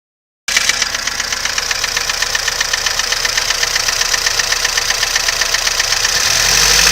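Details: VAZ 2101 engine at idle: rapid, even metallic tapping about four per second, steady and rising slightly at the end; knock of unknown cause.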